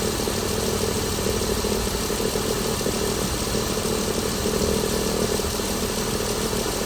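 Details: 2016 Chrysler Pentastar 3.6L V6, stated as about 2017 in a 2017 Dodge Ram 1500 regular cab, steady idle with an uneven, rough clatter at two to three beats a second; owner reports a massive cranking noise at start; cause unclear.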